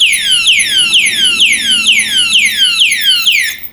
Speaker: এই তালা সেট করার পর এখন যদি এখানে কেউ টাচ করে দেখুন কিরকম আওয়াজ হয় এই যে আওয়াজটা শুরু হয়ে